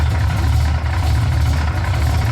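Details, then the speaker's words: Ford F-150 with a 351 small-block Ford bored .030 over, aluminum heads, retrofit roller rockers: steady V8 idle with a faint fast tick following engine speed, seemingly from further back and more on the driver's side; owner suspects a wobbling distributor, cause unconfirmed. "And it kind of seems like it's on the driver's side more than the passenger. I've definitely got to figure this out."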